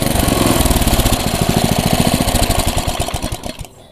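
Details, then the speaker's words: Air compressor after a repair of leaks at the breather and intake path, with air now filling the tank. Rapid, fairly even chugging at about three and a half beats a second fades as it stops; it pumps cleanly with no leak hiss. "Oke, ini anginnya udah ada ya. Nah ya, buktinya anginnya udah ngisi dan kita cek apakah berhasil."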